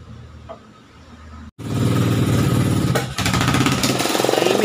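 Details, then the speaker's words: Honda XR 200cc single, running after camshaft and timing work; the owner was unsure whether the chain tensioner still needed replacing. Quick, even beat at about four pulses a second with no clacking on top: the "lato-lato" cam noise is gone. "Ayan wala na ingay. Wala na yung tunog lato-lato."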